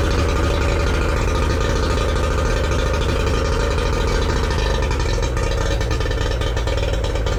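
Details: Yamaha 40 hp two-stroke outboard after replacing cracked fuel lines that caused cutting out under load: even, busy buzz holding steady with no misses or stumbles, running normally.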